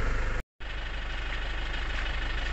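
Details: 2008 Toyota Innova 2KD diesel after repair (injection feedback now zeroed, rail pressure corrected), no check engine light: steady even idle with regular low chug, no knock or misfire; healthy.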